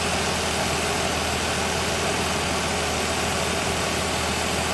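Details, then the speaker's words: 1965 Ford Falcon inline six at idle, listened to rocker by rocker while hunting a suspected tapping valve: even light valve clatter, every rocker sounds the same and no single tick stands out; normal valvetrain. "They sound the same. So then maybe we're listening for more clacking. You know, do we hear more clacking here? Sounds the same."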